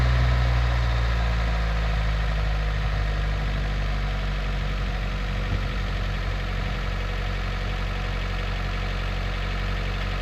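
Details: 1996 Honda Del Sol at first start after timing belt and water pump replacement, with accessory belts not yet fitted, checking it is in time: a smooth, even low idle rumble with no tapping or misfire, so normal and in time.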